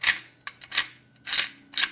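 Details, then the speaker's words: VW serpentine belt tensioner, badly failed: harsh, irregular slapping and clattering bursts about twice a second, sharp and bright, as the belt thrashes. Milder cases start as a squeak at startup or shutoff, louder with A/C on or full steering lock. "It can be a really bad noise, something like this."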